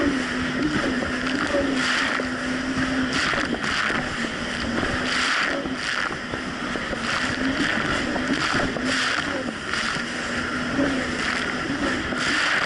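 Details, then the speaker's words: 2007 Yamaha VX Cruiser jet ski on Lake Michigan, previously surging: steady mid-pitched engine drone over water and wind, revs held evenly under load without surging or dropping off; running properly. "honestly the Jessie's actually running a whole lot better it's not doing the surging issue so let's go get on the water have some fun with it now I catch back with you guys"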